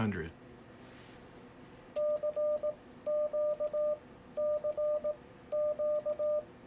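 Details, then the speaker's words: Yaesu FTdx10 in CW semi-break-in at 18 wpm with break-in delay set: clean ~600 Hz sidetone in keyed groups, relay holds through two CQs without chattering; normal. "to hear the relay let go so i was able to send my cq twice before the relay uh relaxed so in other words i'm not chattering that relay"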